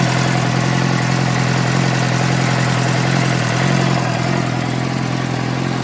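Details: 2006 Suzuki GSX-R600 at steady idle: a light, quick tick about three to four per second over the engine note; source unknown.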